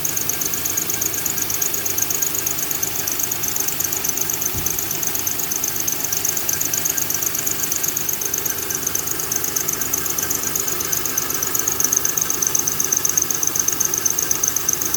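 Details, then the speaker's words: 2000 Honda Accord 3.0 V6 at idle: a sharp chirping belt squeal about four times a second. The tensioner jumps on each chirp, and the diagnosis is a bad tensioner needing replacement. "so if you get a a little squeaking noise right here this right here is the tensionometer and uh tensioner whatever you call it"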